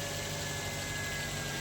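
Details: Maruti Suzuki Baleno, accident-damaged push-start BCM so no normal start, started by feeding current directly to the starter solenoid wire: steady, even idle with a constant low hum, no knocks or misses; running smoothly.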